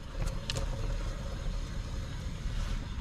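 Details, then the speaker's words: 2009 Ram 1500 Hemi 2WD jacked up, driver's-side front wheel hand-spun: a low, gritty rolling rumble from a worn front wheel hub bearing, unlike the passenger side where only brake pad noise is heard; hub assembly replaced. "So, now let's walk over here to the driver's side. Now, listen. You hear that bearing rolling around in"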